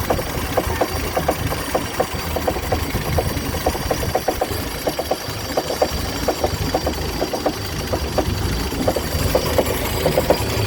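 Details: 1958 Chrysler Crown Special M-47S marine engine, fully rebuilt two years ago, idling smoothly: sharp, uneven clucking knocks one or two a second, first noticed this morning after running fine the day before. Source undetermined.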